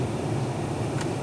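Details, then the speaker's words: 1994 Chevy/GMC diesel truck, after replacing the dash recirculation/blend door actuator that clicked: steady idle and fan airflow, one soft shift as the door moves, no clicking; actuator now working properly. "as you can hear there's no longer any weird noises coming from that area as we switch and actually is turning nice now you can hear it working"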